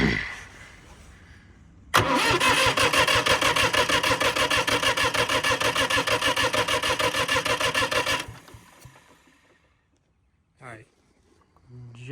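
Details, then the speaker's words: 1984 International 484 diesel tractor during a compression test with a gauge on one cylinder: even, regular cranking without firing, reading above 300 PSI (manual range thought to be about 315–335, cylinders within about 35 PSI of each other); good compression. "above 300 PSI. Um, I think the manual said like 315 to 335 was the ideal range, but they all needed to be within I think it was like 35 PSI."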